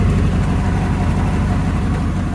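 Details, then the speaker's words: 1992 Ford Bronco, first start after sitting months, idling through leaky exhaust: uneven stumbling beat, a miss; smells rich, owner suspects plugs/ignition, a cylinder not firing, maybe vacuum issue; not confirmed. "Definitely running rich. I can smell the fuel, which means definitely something going on with the plugs and ignition. Maybe not firing on one of the cylinders, which would explain the miss."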